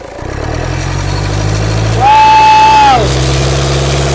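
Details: Overheated engine with warped cast-iron block, idling then revved: a loud piercing whistle rises with the revs and falls away, a failed turbo with lots of oil in it.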